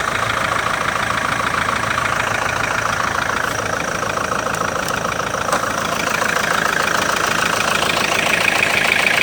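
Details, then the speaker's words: Kia Sorento 2.5 diesel knocking at idle after being floored hard: a steady, fairly regular light knock over the diesel clatter. It stops when the pedal is pressed and returns on release; owner suspects a hydraulic lifter or valve, unconfirmed. "Оп, нажал. Ничего нет. Оп, отпускаешь, стучит. Как гидрик или клапан, хрен его знает."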